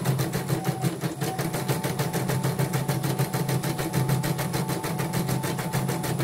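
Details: Portable embroidery machine (came in blank screen, dead touchscreen, hoop not positioning, unable to embroider) test-stitching after mainboard replacement: quick even stitching rattle with a light steady hum, no grinding or knocking; normal stitching.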